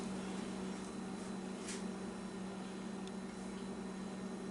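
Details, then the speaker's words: A newly installed Harbor Breeze ceiling fan on its first switch-on, light working. A quiet, steady low hum with an even airy hiss and no ticking, wobble or rubbing; the fan runs smoothly and gives a good breeze. "turn on the switch k oh we got light and they're gonna fan success oh"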